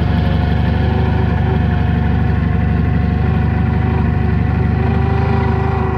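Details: Toyota forklift gas engine after closing the gas regulator adjustment knob a little to cure rough idle; idles low and even with a smooth, unbroken rumble and no stumbling; normal idle.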